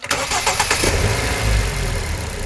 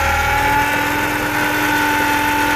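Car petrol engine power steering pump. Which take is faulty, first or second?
second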